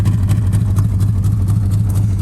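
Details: 1951 Studebaker engine recently freed from being stuck, leaking carburetor, idle raised; rough, lumpy idle with uneven stumbling beats under heavy low rumble; misfire, owner suspects burnt valves.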